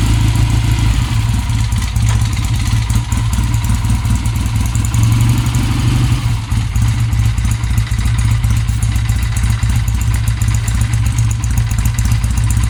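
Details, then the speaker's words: 1966 Triumph T120R Bonneville, restored 2012, first start after sitting since 2020 on old gas: after a few tickles and kicks the twin fires and settles into a lumpy but steady, even loping idle with light clatter; normal idle. "a couple more tickles that's my wife making noise in the background fired again go some more tickle some more old gas"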